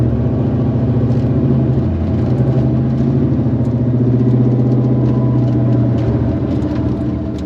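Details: 1990 Chevrolet Corvette 6-speed V8 with upgrades, wrapped headers and likely a custom exhaust, recently driven a couple hundred miles without issues: deep, even burble, not lumpy, swelling gently with throttle; idles relatively well, healthy.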